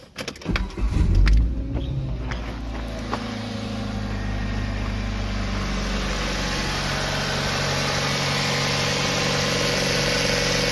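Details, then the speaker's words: 2006 Kia Spectra with an inline spark tester on a plug wire: the starter cranks briefly, then the engine catches into a smooth, even idle with no misses. It is getting spark and starting and running normally. "but as you can see is getting spark obviously this is running"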